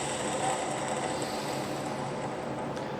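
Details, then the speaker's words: Borg Warner overdrive transmission bearing spun by hand, fine even rapid whir with no roughness: like new. "See, this bearing is like new."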